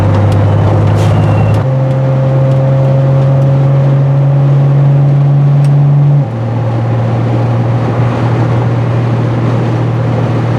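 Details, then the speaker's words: Triumph TR6 after a major tune (new plugs, wires, electronic ignition, coil, rebuilt Strombergs, valve adjustment), cruising at 70 mph and 2,700 rpm in overdrive: steady, even engine drone with tyre and wind noise and no knocks or misses. "into cruising speed, 70 miles an hour. 2,700 RPMs overdrive."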